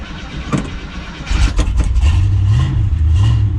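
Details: Cutlass after jump/battery swap and refitting a loose ground cable, 1-wire alternator fitted for charging issues: short crank, engine catches and settles into deep, slightly uneven idle rumble; starts fine.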